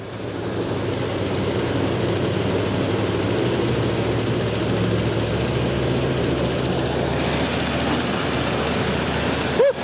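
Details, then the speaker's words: One-owner 1977 Ford F-150 4x4 V8 barn find, first start after about 20 years, choke opened by a hot coil: rough idle with a fast, faint tapping; a rocker arm is suspected. "oh not too shabby is it we got a a rocker arm or something making a little noise"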